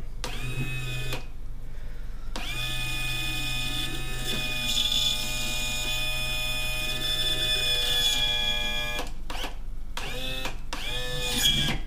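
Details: Johnson Evinrude FasTrak tilt/trim on a 1999 Stratus 295 Pro Elite, after refilling hydraulic fluid and tightening the manual release valve: steady high electric whine in even runs with short stops; trim pump motor now runs and pumps normally, problem fixed.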